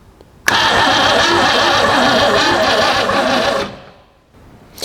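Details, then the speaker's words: 1962 Mercury abandoned for 30 years, starter bumped with a push button wired to the battery: starter whirs steadily about three seconds without the engine catching, keeps cranking after release, then winds down; sticking starter solenoid, battery also dead. "so we have a sticky sticky solenoid that's what I'm gathering"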